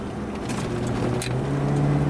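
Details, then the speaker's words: 1976 Cadillac Seville 5.7L V8 automatic slowing on an overpass: engine drone eases, then revs step up briefly as the transmission drops a gear; smooth, normal downshift. "and you can hear it downshift the way it's supposed to there"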